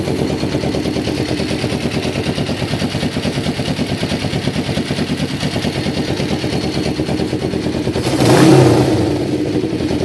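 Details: 1993 Kawasaki Vulcan EN500 bobber project after reed valve/air suction valve removal and carburetor install and synchronizing: quick, even exhaust pulses at steady idle with one brief rev; runs smoothly, healthy; mixture not yet tuned.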